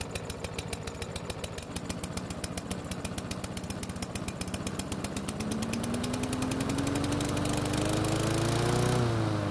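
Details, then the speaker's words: Yard Machines lawn mower engine, first start after repair: slow, uneven putter picking up with rising tone, a poor rough start likely from a carburettor not removed for proper cleaning. "so that was a very interesting startup if you hadn't guessed it that poor startup was probably a result of me not taking the carb off for a proper cleaning"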